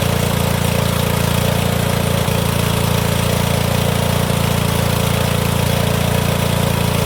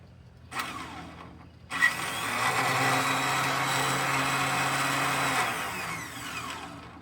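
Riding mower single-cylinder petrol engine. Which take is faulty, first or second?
second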